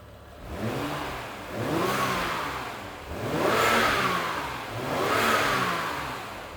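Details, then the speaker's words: BMW X1 after the bad spark plug was fixed and codes cleared. The engine is blipped up and down four times in smooth, even sweeps with no misfire stumble or popping; firing on all cylinders. "Sounds so much happier. Let it get warm here."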